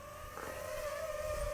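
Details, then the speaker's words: DJI FPV drone with aftermarket Pyrodrone DroneTech props, flown in standard mode over water: steady, clean propeller tone holding even pitch with no vibration or pulsing; props smooth and balanced. "so this one i don't have any problems with this these are actually great"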